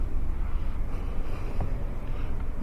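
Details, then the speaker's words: Deep, uneven idle of a 2001 Toyota Sequoia 4.7 L V8, shaking and running rough with check-engine light flashing; lumpy, stumbling misfire beat (codes P0300, P0307, P0308) from failed ignition coils. "yeah i can feel this thing shaking and running rough check-ins and lights flashing and we're going to scan these codes"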